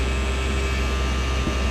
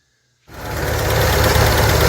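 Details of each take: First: 1970.5 Ford Falcon with rebuilt engine, hot idle at 1,300 rpm with 58-60 psi oil pressure: deep smooth even hum, no knocks or ticks; engine healthy. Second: 1970.5 Ford Falcon four-door six-cylinder junkyard car, warmed up, dirty oil: light even tick about 220 per minute over steady idle, tapping valvetrain; owner suspects a lifter not pumping up, plans to try high-mileage oil.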